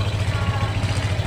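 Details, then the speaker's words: Honda Click V3 scooter after replacing a very dirty air filter blamed for rattling and stalling at idle when braking; steady, even low putter at idle with no stumbles or misses, now smooth. "So ngayon, smooth na yung Hindi gaya ng tunog yan pag"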